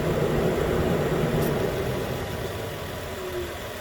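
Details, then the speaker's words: 2013 Nissan Pathfinder, 265k miles, after new AC clutch and serpentine belt, new clutch clicking on: steady even idle hum settling lower over a few seconds, no knocks or squeals; running normally. "okay it's on again you hear the click that's a new click that's the sound of a new click"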